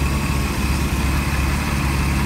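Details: Mercruiser 4.3 V6 rebuild, idling during dynamic timing: smooth, deep, even idle with a steady low drone and no misses, knocks or hunting; runs properly.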